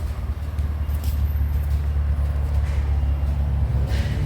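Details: 2003 Mitsubishi Magna VRX (TL, 163 kW) with a new custom in-house sports exhaust replacing the rusted factory 2.5-inch system, heard from outside on its first hot run: deep, steady low rumble, no rattles, ticks or blowing; healthy exhaust.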